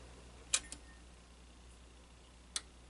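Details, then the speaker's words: Realistic STA-2700/STA-2380 receiver after overload-shutdown fix by removing pins 1 and 2, time delay kept; quiet room, sharp click at switch-on, single relay snap about two seconds later — normal speaker protection relay click. "alright we're going to power this up and maybe we can hear the relay click"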